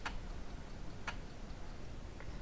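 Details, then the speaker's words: Samsung SFD-321B PC floppy drive on Amiga, unmodified, reading a high-density disk (Amiga DOS demo): sharp single clicks about once a second, head moving back and forth, nothing loads, as HD disks don't work on Amiga without taping the hole. "whoops uh as you can see nothing happens well that is why because uh this is a floppy drive that reads uh HD discs and these uh don't really work on Amiga"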